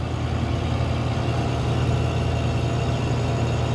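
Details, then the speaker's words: Ice merchandiser with R134a refrigeration compressor restarted after cooling with wet rag: deep, heavy drone with rough uneven pulse, labouring; discharge very hot, high suction; suction valves suspected bad, not confirmed. "I got it restarted look I had it all cool getting cooled off bunch of ice in the rag but listen to the compressor sounds terrible so I need to gauge up on it see if the suction vals are bad"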